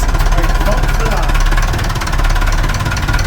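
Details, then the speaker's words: Perkins 4236 marine diesel in a sunk narrowboat, idling cold just after first startup; low steady clatter with an even beat, no misses or knocks, running sweet. Normal idle. "Engine's still sweet. Pull it out. Just gently, yeah. Oh, that's still sweet, isn't it?"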